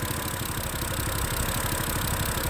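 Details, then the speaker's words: 2011 BMW E90 M3, smoking from the back, after new valve cover gasket and CV valve: uneven, lumpy idle with stumbling beats under exhaust drone; codes show cylinder 2 misfire and both banks lean; rough idle, cause not yet found. "it says that cylinder number 2 is misfiring, and it also says that bank 1 and bank 2 to lean, and then flow to air, something."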